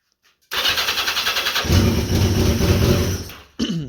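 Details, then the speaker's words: 1982 Yamaha XJ650 motorcycle: the starter churns about four beats a second without catching and fires only when the starter button is released; a bad ground starves the ignition of voltage; no start while cranking due to bad ground. "um it has this issue where when you try to start it it won't start until you let off the start"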